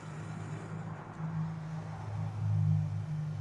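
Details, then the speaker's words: 2015 BMW X5 xDrive35i (F15) with N55 engine and a battery that dies overnight. With the engine off, a quiet, steady hum: the electric water pump keeps running after shutdown. Fix is replacing the water pump and thermostat. "All right. You know what? I actually can hear the water pump running right now."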